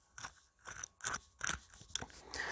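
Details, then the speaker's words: Salvaged wind-speed anemometer, its shaft turned by hand. Gritty, crunchy scraping in short bursts from heavily corroded bearing balls, apparently from water ingress: failed corroded ball bearing that stopped the unit working. "oh that bearing's gone it feels really rough you might [Music] be able to hear it but yeah there's a fair amount of corrosion on the balls and that bearing so that's failed"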